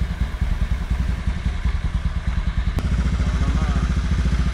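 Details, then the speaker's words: Honda Vario Techno 110 carburetor scooter CVT after fitting new BRT rollers, at idle: a steady low putter with even beats and no roller or variator clatter, normal idle. "dan ini kondisi motor langsam ya nah kedengeran gak sama kalian si suara dari rollernya enggak ya kalau saya nggak sih guys"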